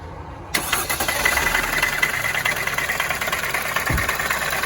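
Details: 2019 Winnebago View on a Mercedes Sprinter chassis: the engine runs with a harsh, rapid rapping over it that sounds like a rod about to go through the block. Actually a failed, oil-starved AC compressor.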